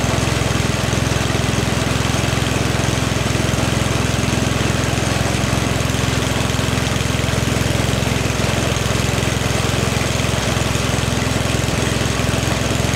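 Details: 44-year-old Toro 421 two-stage snowblower with a 4 HP Tecumseh engine, after a carb rebuild and tune and new fuel lines, on dirty oil, throttle slightly up: a steady single-cylinder chug at a fixed speed, firing evenly with no misses or surging.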